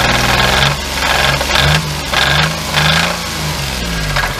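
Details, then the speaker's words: 1997 Geo Metro, running and driven after repairs, revving: engine speed rises and falls with heavy, uneven knocking that worsens as it pulls; deep internal knock, owner expects a new motor is needed, spun bearing suspected. "you can hear it i don't sound good so probably gonna be looking at a new motor"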